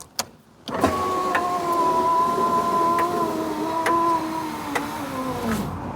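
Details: Proton Satria passenger power window after fitting a new aftermarket regulator, on jump-pack power; steady motor whine for about five seconds, pitch sagging slightly at the stop; it works normally but a bit slowly.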